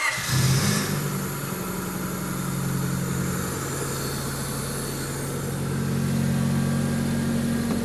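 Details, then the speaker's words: Donor engine just installed in an EM2, running on a second start. Smooth, quiet, even idle with a couple of clean blips that rise and settle promptly; no ticks or knocks, sounds like a good engine. "Sounds like a good engine. All right, you can shut it off. All right, everything sounds really good."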